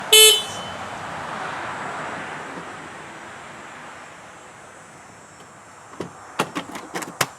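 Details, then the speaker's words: Subaru Crosstrek stock horn before replacing the low-tone horn: one brief, thin, high-pitched toot with little body or volume, then handling clicks; anemic, weak horn. "Well, friends, I'm trying desperately to fix the horn on this Subaru Crosstrek. It is anemic, and let's see how it goes."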